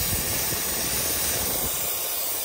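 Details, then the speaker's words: Gen 3 turbo LS drag car, overheated: loud steady high-pitched hiss over faint engine rumble as the steam port hose from the heads came off, spewing distilled water and Water Wetter coolant. "so what happened is a steam Port hose that comes off the heads actually just came off and it was just spewing out the distilled water and water weather that I had in the coolant [Music] system"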